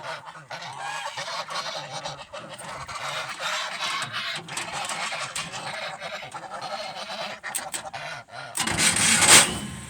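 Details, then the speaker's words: 1971 Chevrolet C20 pickup with swapped-in 454 big block, cranking: harsh squawking scrapes in short bursts ending in a loud grind; starter gear not meshing with flywheel despite shimming, owner suspects faulty starter nose, risks ruining flywheel. "I've shimmed it every which way I can think of. I'm going to go get a different starter. Maybe something's wrong with the nose of it or something. But it's going to ruin the flywheel if I don't do something."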